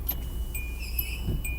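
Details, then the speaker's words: Windshield wipers switched on during vehicle inspection over low idle; thin, high squeaks and chirps repeat with each sweep; blades found dry rotted and cracked, chattering, need replacing. "doesn't sound too good. Let's go give him a visual inspection."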